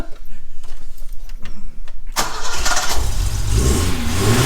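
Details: 1986 Alfa Romeo 75 2.5 V6 Busso, first start after years stored, new fuel tank fitted: about two seconds pulsing cranking, catches with roar, steady low rumbling idle; gauge then shows no oil pressure; cranks and starts.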